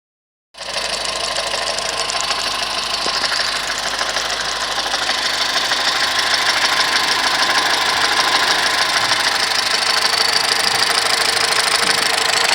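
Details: 2010 VW Golf 1.6 at idle: a hissy, rapid chattering noise of about three beats a second from the belt drive. It disappears with the poly-V belt removed and persists after replacing the water pump, oil pump, bearings, belts and tensor; cause unknown.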